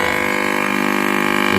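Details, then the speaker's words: CRT TV with China kit PCB, picture fine: steady buzzing hum with gritty distortion from the speaker even with volume turned down by remote; audio IC OK, fault traced to a failed resistor in the audio stage. "इसमें sound problem है sound आ रहा है लेकिन sound में humming है खरखरा हट पन है बहुत ही बहुत ही ज्यादा"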